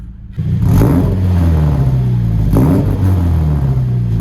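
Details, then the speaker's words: 2013 Subaru BRZ with a hybrid 2.4 short-block swap, launch control tested with clutch in and throttle floored: the engine holds a flat, steady drone at the 5,000 rpm limit with brief regular cuts. Launch control rev limiter working. "So you have to ignition activation, that's when it starts to pull it back, and then 5,000 is the limit. And if we put the clutch in, floor it, it's pretty cool."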